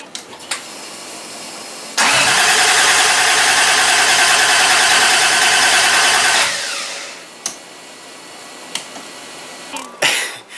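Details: Toyota Supra with freshly swapped 1JZ, first start attempts on a weak 525 CCA battery; steady cranking for about four seconds without catching; crank no start.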